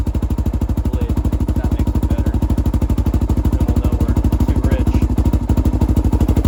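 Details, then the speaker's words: 2007 Honda 400EX single, choke off, fast idle; heavy even lazy thumping, no longer dying on throttle but still bogging, running rich. "when I give it gas again it's not dying like it was before but it still kind of has that fog"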